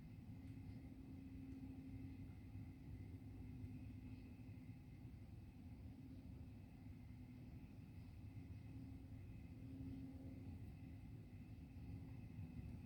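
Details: Faint, steady low-frequency drone with one constant tone and no rhythm, heard from over 2 miles away from GM Milford Proving Grounds; source unknown, GM attributed it to tree crickets.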